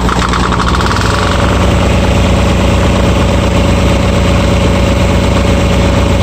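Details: RigMaster APU small diesel that showed a failed-to-start code, after fixing an open circuit at the fuel-solenoid wiring connection. Chugs steadily at idle with an even low beat, no misses or knocks; runs healthy now.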